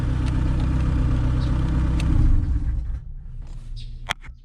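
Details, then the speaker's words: Honda EF/CRX idling during 5-pin main relay conversion: steady low idle rumble cuts out abruptly when fuse 14 is pulled, cutting power to the black/yellow wire feeding the ECU, leaving only clicks. Engine stall from cut ECU power. "as it did because that's where this black yellow wire gets power from so it basically kills the ECU"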